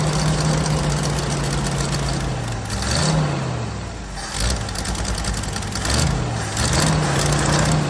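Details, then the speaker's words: 1979 Jeep CJ5 after sitting since 2019, running on old tank fuel with carb/choke cleaner sprayed in: idle hunts and surges every couple of seconds; rough running, owner suspects carburetor and tank, not confirmed. "got some some carbon choke cleaner here the car probably needs to come off of it and the tank probably need drop"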